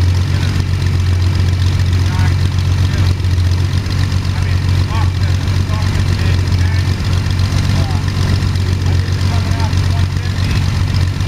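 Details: First start of Jabiru 3300 six-cylinder in plans-built Sonex with Rotec TBI, 50 hours on engine, mixture full rich, oil pressure 42, charging: deep steady drone with even beat, no knocks, ticks or misses; sounded really good, normal idle.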